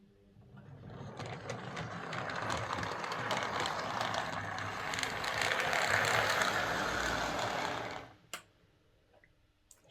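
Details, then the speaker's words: Same model locomotive on a Morley Vector Zero Three Crawler controller instead of the PWM Hornby HM2000; it runs eight seconds with a soft, even gear whir and light clicking, noticeably quieter than before. "okay so power on on the morally that's definitely quieter"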